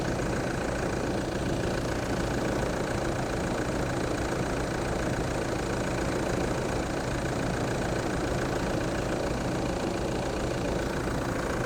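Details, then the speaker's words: 2008 Toyota Land Cruiser 3.0 D4D diesel just after a timing belt and pump belt job, engine turned by hand first; smooth, steady idle with even clatter, no ticks, slaps or wavering; normal diesel idle. "So we're going to fire this up, see what it sounds like, and yeah. Sorted! It sounds good. Everything looks good."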